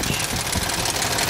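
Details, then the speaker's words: 2007 Toyota Tundra 5.7L 3UR-FE V8, 205,000 miles, occasional cold-start noise on bank 1: fast, light, even metallic clicking from under the belt cover over idle, unchanged with both actuators disconnected; cause unknown, hydraulic tensioner suspected. "that's clicking kicking from underneath that belt cover it's remaining the same"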